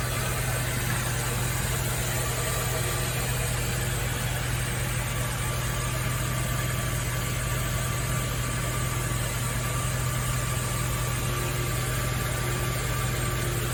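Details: Nissan Fairlady Z Z33 (VQ35DE V6, automatic) at about 310,000 km, idling after a DIY engine overhaul: smooth, even idle with a steady low drone and no ticking, knocking or misfire beats; the engine sounds healthy.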